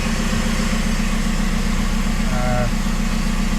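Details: VW Jetta TDI diesel, sat unrun for months, just restarted after its computer was reinstalled and battery recharged, on stock tune: even diesel clatter at steady idle, regular pulses, no misses or knocks; running healthy.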